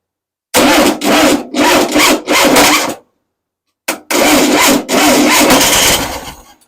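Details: Engine first start-up for break-in, retry after reconnecting vacuum advance line (suspected vacuum leak) and with fuel pump hoses found reversed: several short labored cranking bursts, then longer run barely catches and fades; starter dragging, starter/battery issue suspected.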